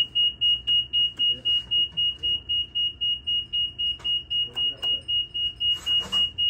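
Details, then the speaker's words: EZGO TXT electric golf cart controller giving a fast, even, high-pitched beep, about four per second, signalling fault code 35. "now you can hear that you hear that beat is beeping a code that's a that's a 35 code"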